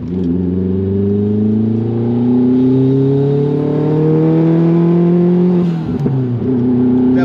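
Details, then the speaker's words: Nissan GTI-R with freshly rebuilt engine on a test drive: pulls hard with a climbing note, then stumbles and drops out under load, breaking up like a misfire; slight knock suspected; oil pressure about 70 psi at 5,000 rpm; cause unconfirmed. "sounds like she's breaking up."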